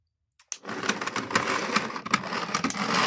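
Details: Hornby OO Flying Scotsman model locomotive, motor serviced, running backwards on track; small motor whirs with an even fast ticking and no stalls; runs smoothly in reverse though juddery going forwards; normal running in reverse.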